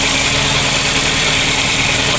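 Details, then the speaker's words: VW Polo Classic petrol engine after fixing unstable fluctuating idle (previously 1500–2000 rpm) with replacement coolant temperature sensor: even, steady idle with no hunting or surging, faint hiss on top; idle now stable. "I'm going to confidently say that we have conquered the unstable idle."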